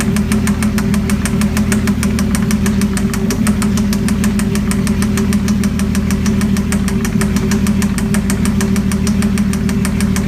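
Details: Mazda MX-6 / Ford Probe 2.5L V6, just swapped in: sharp, even mechanical knock about five or six times a second over a steady idle; cause unknown.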